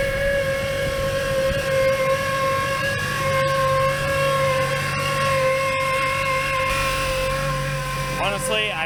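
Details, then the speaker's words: Jeep YJ cold start: loud steady whine over a smooth idle with faint tones above, seeming to come from everywhere; owner suspects the power steering pump, and the whine usually fades after running a while. "I have no freaking clue what that is I think it's the pump but it just sounds like it's coming from everywhere"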